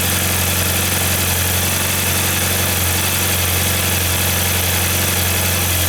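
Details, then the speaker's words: 1994 Saab 9000 with injectors rebuilt and tested, leaking secondary air injection one-way valve plugged: steady, even idle with low smooth drone, no misses; sounds better. "well that sounds better"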